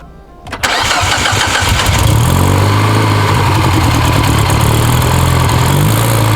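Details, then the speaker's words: Mini Cooper R56 after new valve cover replacing cracked, hissing one, PCV plug removed: cranks and fires into loud idle with raspy exhaust puffing and uneven beat; valve cover leak gone, exhaust leak at downpipe from missing gasket bolt. "So we got rid of that leak, but this exhaust leak is pretty bad. This leak in the valve cover is gone though. Idle's kind of wacky."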